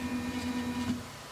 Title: Flashforge Creator Pro grinding noise